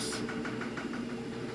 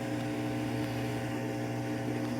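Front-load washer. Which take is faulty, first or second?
first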